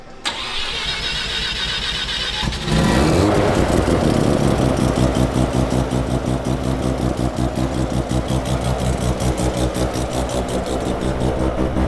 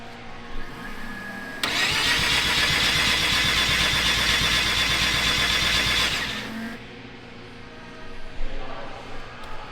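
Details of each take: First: Mazda rotary car being troubleshot, with a new CAS and factory fuel tank refitted: cranks briefly, catches and settles into a busy, choppy rotary idle with a steady pulse; sounds healthy. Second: Rotary-engine car cranked for startup after fixing earlier issues: starter spins briskly at about three pulses a second for several seconds but never fires; no spark.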